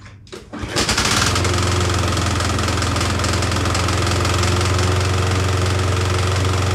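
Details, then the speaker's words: Yardworks self-propelled push mower whose engine was supposedly seized but freed by turning the blade by hand: after a pull start it runs with a harsh, fast, uneven knocking about four per second and heavy smoke; cause suspected, not confirmed. "all right so it'll start now uh but as you hopefully heard in the video it makes a huge Racket and it's blowing a pile of smoke"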